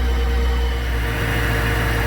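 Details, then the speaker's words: After repair of a ticking and hesitation issue diagnosed from a data log, on a 106-degree day: a smooth, steady idle with an even low hum and no ticking or hesitation; fixed. "the car is running perfect right now there's no hesitation no ticking other than you know the normal kicks that the type of car has"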